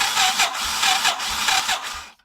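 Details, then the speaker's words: Royal Enfield Thunderbird AVL engine with fully charged battery: slow, labored electric-start cranking at two or three compression beats a second for two seconds, never catches; starter lacks torque. "Self घूम तो रहा है मगर गाड़ी स्टार्ट नहीं कर रहा है, मतलब इतना टॉर्क नहीं बन रहा है कि ये गाड़ी स्टार्ट कर सके।"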